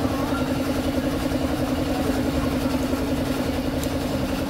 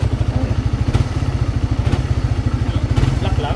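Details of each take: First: Engine after replacing the connecting rod with a forged one, following piston slap and a rough-turning rod: a quick, even, quiet idle putter with no knock or slap. It now runs healthy. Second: Engine with a noisy head that heats up quickly. A heavy, deep knock about three times a second rides on the idle. Connecting rod or piston slap is suspected, to be confirmed by opening the engine. Connecting rod knock.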